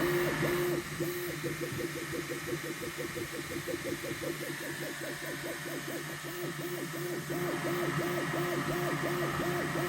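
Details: Neptune 4 Pro 3D printer: a rapid, repeating high squeak about three times a second over a steady hum during operation.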